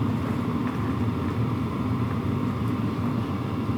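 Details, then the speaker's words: WIPPRO diesel heater running at power level 4, about 74°F inside and 50°F outside, recorded on a sensitive camera-top shotgun mic: steady low rumble with fan hiss, no fuel pump ticking; slight ticking only briefly at startup; normal running. "It's just not ticking. There's a slight amount of ticking when it first starts up. That goes away very quickly."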